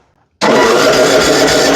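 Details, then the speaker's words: Yard Machines riding mower with PowerMore engine, on a jump after a dead-battery fast-click: starter spins the engine with a steady, even whir but it doesn't fire yet; it later runs and dies. "Turns over, she ain't fired up yet."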